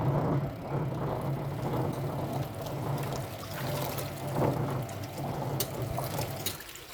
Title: Twin tub washing machine with a rumbling sound when washing